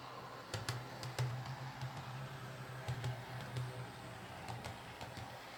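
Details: Bachmann Class 25 model locomotive after its split drive cup (which caused a suspected slipping drive shaft) was glued with metal epoxy: a steady low motor hum with scattered light track clicks; the drive turns smoothly.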